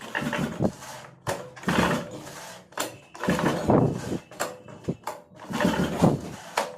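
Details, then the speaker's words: Single-cylinder two-stroke mini tiller/cultivator that won't start. About a dozen short, uneven recoil pulls each stop abruptly and it never fires; the recoil starter is jamming when pulled. "जैसा कि आपने देखा जब मैं shooter को खींच रहा हूं तो इस टमाटर अच्छे से वर्क नहीं कर रहा है स्टार्टअप हंस रहा है इस टमाटर खींचने पर जाम लग रहा है"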